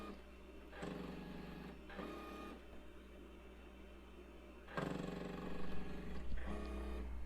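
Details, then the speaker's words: Tecmar Ditto Max Professional tape backup drive on an IBM PS/2 Model 30 286, running while appending a backup; steady low hum with rhythmic whirring and stepping, quietening down and running evenly, normal. "Now it's quietening down some. Doesn't sound as much like it's going to explode."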